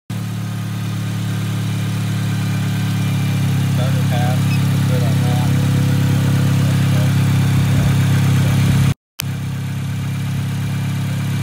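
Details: Acura RSX during a test of a P2500 alternator code from a Zus Nonda monitor; the alternator was charging at about 14 volts and the battery passed. A low, steady idle with an even beat and no knocks, misses or whine. Healthy idle.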